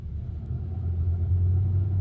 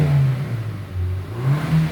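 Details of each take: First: Car with engine warning light, reduced power, no acceleration above 100 km/h; engine oil pressure low and oil pressure sensor range codes stored: deep, uneven rough rumbling engine sound wavering about three times a second instead of running smoothly. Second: Korean vehicle after its engine was re-replaced with genuine parts; the trouble was a non-genuine oil filter with a pinched O-ring. On the test drive it pulls up through the revs with a smooth, steady drone and no knocks, rattles or whine. Healthy.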